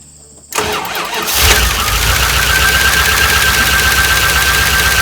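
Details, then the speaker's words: 1988 Dodge Ram W150 4x4 with TBI fuel injection, first start of the year. It catches after a short crank and settles into a steady, even idle with a faint whine, which the owner says is normal for this engine. "move it over and noise that's normal for this engine"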